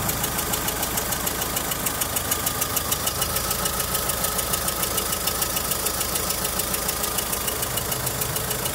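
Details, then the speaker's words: Volkswagen Saveiro with low power and low compression in cylinders 1 and 2: quick, evenly spaced ticking at low revs, like an intake manifold air leak. Suspected blown head gasket or bent or leaking valves, unconfirmed until disassembly. "sólo en baja se alcanza a sentir ese como siempre tarde se siente como por aquí así como si algo como si una fuga de aire del móvil del múltiple"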